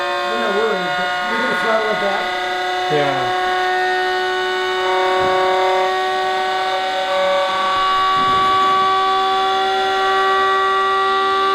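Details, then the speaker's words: Self-running 2-stage Tesla turbine driven by water vapour under vacuum: a steady high whine with several stacked tones at high speed, a harmonic from the bearings and their lubrication, rotor not balanced to Tesla's pattern; little vibration. "It's a harmonic with the lubrication and the bearings. And this wasn't balanced with Tesla's patent. If we could perfect Tesla's balancing pattern, we shouldn't be able to hear anything."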